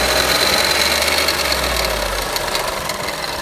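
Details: Audi A1 1.4 TFSI 185 hp at idle: irregular ticking-knock about three to four per second over a steady engine; abnormal engine noise, source unclear.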